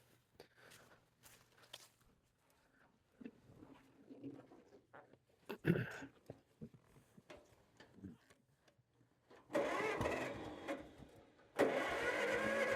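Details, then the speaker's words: Old Hercules Economy 7hp engine driving a firewood buzzsaw: scattered weak clicks and puffs while cranking, then two loud bursts as it catches and runs briefly. Hard starting; acts like flooding but seems short of choke, cause unconfirmed. "Huh. This is interesting. Acts like it's flooding. Okay, that's not enough choke."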